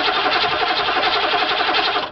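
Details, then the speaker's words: Cold diesel at 23° in winter, no battery charger or block heater, after glow plug cycles: labored, even slow crank about two seconds that never catches; owner suspects cold and weakening batteries, glow plugs uncertain. "nope no no she ain't going to start it's too cold batteries are getting a little weak cranker"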